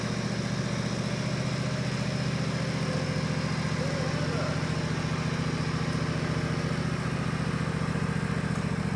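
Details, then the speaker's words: Countax ride-on mower/tractor after transmission rebuild with 75/90 fully synthetic gear oil, slipping-belt drive, pulling away and moving through the speed range; even, steady engine beat, no knocks or whine: normal running. "It's the old slipping belt job, and it's a bit vicious as you saw, but it works perfectly. Doesn't make any noises. You can move up and down the speed range."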